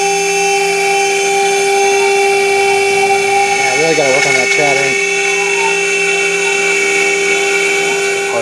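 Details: End mill chattering while boring the NEMA 17 locating-pin recess in an aluminium heatsink motor mount, at a slow 150 mm feed with an unfamiliar bit; steady high spindle whine with a wavering, warbling squeal partway through the cut.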